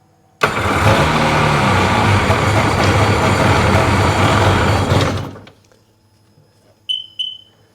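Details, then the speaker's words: 2005 Sea-Doo 3D with 787 RFI engine that had sunk: starts fine, then runs rough about four seconds and dies; MAP/air pressure reading intermittently drops to 3 (should be 14), bad connection suspected, grounds being cleaned, cause unconfirmed. "And when I start it, see, it drops right down and won't run."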